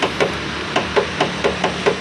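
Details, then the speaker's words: Old Honda CR-V Gen 1 tailgate hydraulic strut twisted by hand: about nine sharp, hollow, unevenly spaced knocks in two seconds; owner suspects looseness at the strut mounting, a source of driving knocks, unconfirmed. "Ternyata dia kalau goyang gini ya bunyinya cetak-cetek. Ternyata hidrolik bagasi berbunyi juga ya."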